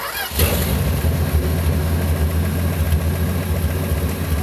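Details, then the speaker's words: Field-find car after replacing a carbon-tracked distributor cap: it catches and settles into a steady, even idle with no misfire or backfire; normal idle. "it helps when you have a cap that's not got a carbon Trace in it I've never ran into that before"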